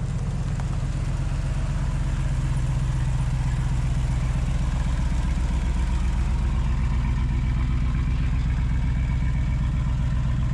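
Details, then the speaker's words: Jeep with a tailpipe needing repair, before welding a custom exhaust: loud, deep, uneven puffing rumble at idle, about two pulses a second, unmuffled; exhaust leak, sounds rough. "didn't sound very good did it sounded pretty rough terrible"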